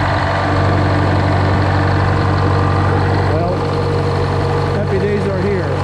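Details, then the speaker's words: GM 4-71 supercharged two-stroke diesel, about 160 HP, roughly 50-60 years old, driving a Frick sawmill, idling just after a secondary fuel filter change. Steady, even idle with a deep regular beat, no knocks or misses; running cleanly. "here you go two cycle engine super [Music] charged you got to love it just love the sound of that thing oh my God"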